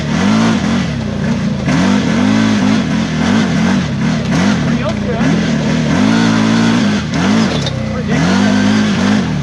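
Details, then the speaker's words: New CFMOTO Z-Force 950 HO EX on its first break-in ride, in 4 low while engine braking: engine note drops and surges about once a second as the clutch engages off and on. Cause not confirmed. "Yeah, that's clutch is like off and on. Really kind of different than what I'm used to in the Razor. What's going on? Why does it keep doing that? It's only when it's like engine braking. When it's engine braking, it makes that weird noise or something in 4 low."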